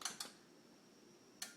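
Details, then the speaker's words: Hitachi TV that won't turn on: two quick relay clicks, then a second click a moment later, and the standby light goes off with no power-up; cause unclear. "hear that second click it says that nothing's going to happen so here we are turning it on does nothing now the standby light goes off"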